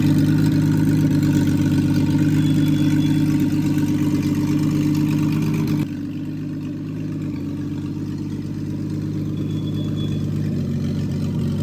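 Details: Freshly rebuilt Triumph TR6 six, head shaved 60 thou (about 8.4–8.5:1 compression), after first start, warmed up, chokes off, distributor slightly adjusted: even, steady idle with smooth low hum, no misses, knocks or hunting; normal warm idle.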